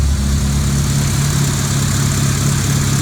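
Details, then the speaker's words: 2002 Civic EX (EM2) with its current engine before a planned K24 swap; it revs to 7k and power steering is deleted. Low, uneven idle with an irregular lope and visible shaking. Rough idle, cause unknown. "see it's shaking pretty good but i don't know it runs good for what it is"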